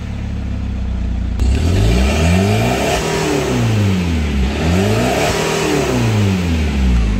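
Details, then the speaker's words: 2010 Chevrolet Captiva diesel after repair: previously engine and SVS lights came on and rpm stuck at 2000 on hard throttle, with DTC P089 fuel pressure fault, heavy and smoky; now revs cleanly to 4500 rpm and drops back smoothly, no hesitation or cut-out. "Nah sekarang sudahah bisa tembus sampai RPM 4500 Coba kita cek sponya Oke coba gas 4.500"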